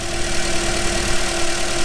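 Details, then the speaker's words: 2010 Toyota Corolla after replacing all four ignition coils (two bad coils had left two cylinders not firing): steady, even idle hum with a smooth low pulse, no misfire or shaking; normal idle. "No more misfire, no more crazy shaking because 2 of these cylinders weren't firing. It's all in order now."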